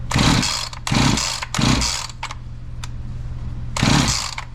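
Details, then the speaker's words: Husqvarna 345 chainsaw that suddenly quit, with new fuel filter and spark plug, spark confirmed: four harsh pull-cord rips with only one faint pop and no catch; fires but won't run, fuel issue suspected. "Okay so what do we got going on I got a fuel issue it did pop a little bit did you hear that one time"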